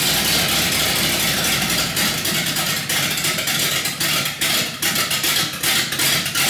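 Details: 318 V8 built for a deliberately rough idle: raised compression with Keith Black 6cc domed pistons and a Comp Cams cam; choppy idle rising and dipping in an uneven lope; lopey cammed idle, not a fault.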